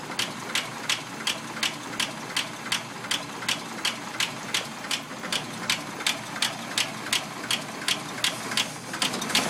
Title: Packard lifter ticking